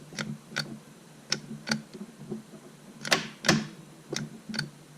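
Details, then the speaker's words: VW Jetta MK5 2.5L manual, in neutral, starter jumped directly with a remote starter: sharp paired clicks but no cranking; the starter had failed from a vacuum pump oil leak. "So emergency brake on, vehicle in neutral, and using the remote starter, just squeezing the trigger, and you hear it clicking sometimes."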